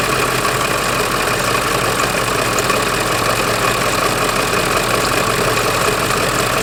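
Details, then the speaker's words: Ford 7.3 diesel van at idle, engine bay: diesel clatter with a constant gritty rattle from the vacuum pump, whose pulley wobbles. Vacuum pump pulley bearing noise, bearings worn. "that noise you just heard is what I heard coming from the vacuum pump I called it the air pump vacuum pump the same thing whatever and that noise you just heard it's the same thing and obviously that pulley the bearings inside are bad"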